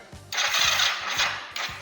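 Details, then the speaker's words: Kawasaki GPZ 500 café racer, hard to start in the mornings, carburetor cables refitted and fuel added, before cooling hoses installed: starter turns in short, sluggish, labouring bursts that never catch; battery too weak or dead, jump cables then tried. "Necesitamos más batería. La puta batería. Está fundida la batería, ¿no?"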